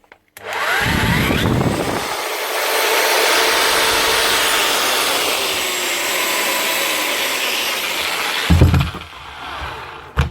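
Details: Bosch GRW 11 E mixing drill after replacing worn brushes, where the customer had blamed the lead or switch: motor spins up to a steady high whir with no stutter or crackle, then winds down; runs healthy.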